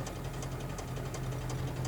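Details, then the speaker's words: VAZ 2109 driving, heard inside cabin: low road drone with faint regular clicking knock about three times a second matching wheel speed, from the rear right wheel; bolt suspected as cause, not confirmed. "Это звук заднего колеса. Заднего правого колеса."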